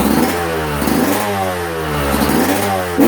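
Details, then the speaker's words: Two-stroke on 24:1 premix (5 oz oil per gallon), one more heat cycle: crisp, clean note climbing and dropping evenly with throttle blips, no misfire or rattle; owner says it runs clean and crisp. "I'm always impressed with how clean this bike runs. Even with 24 over one on the mixture. Yes, I'm running 5 ounces of oil per gallon. She still runs so clean and crisp."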